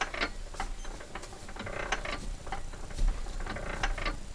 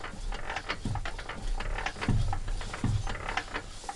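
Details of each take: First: Petter A1 engine needing a new bore, turned slowly by hand after WD-40 on the cylinder: light irregular ticking of internal timing gears meshing; normal. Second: Petter A1 engine being restored, which had water in it: a slow, rough scraping grind about twice a second as the piston drags on a badly scored cylinder bore that needs replacing.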